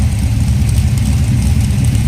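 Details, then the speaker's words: Carbureted V8 with a 236/242 @ .050 cam on 112 lobe separation, after the idle circuit passages were drilled and the mixture screws tuned to cure an erratic idle: deep, choppy, steady lope without hunting or stumbling, runs smooth. "got a nice idle to it but it's not jumping all over the place it's not acting stupid and idle smooth the engine runs smooth"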